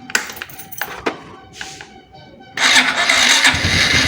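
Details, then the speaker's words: Motorcycle, kick-start removed, 12-volt battery first too weak to crank, recharged about one minute by spinning rear wheel in 4th gear: a few short, weak starter bursts, then engine catches at once and revs strongly; electric start now works. "Sudah bisa ya teman-teman ya. Sudah bisa starter walaupun tadi agak mau mati gitu ya. Tapi ini sudah kuat starter."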